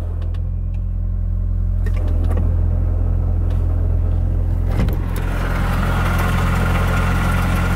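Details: Mitsubishi Lancer during maintenance, idling: a steady low rumble, then a hissing whir rises over it once the clutch pedal is pressed. Cause unknown; the clutch is also slipping.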